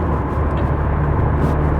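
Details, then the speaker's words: 23-year-old Mk4 VW Golf diesel, third- then fourth-gear pulls on the road: steady deep diesel drone pulling evenly under load, no knocks, rattles or whines; normal acceleration, nothing major. "Right. Little third gear pull. Nothing too major. Fourth gear pull."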